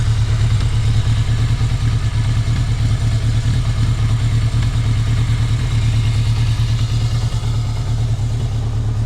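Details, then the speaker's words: Low-mileage 1981 Yamaha XS1100 Special (about 5k miles), cold-blooded, on old gas; loud low idle with a slightly uneven lumpy beat and occasional skips, a mild miss while idling on its own. "actually started better than I [Music] thought but you can hear it's missing a little bit there it is idling on its own"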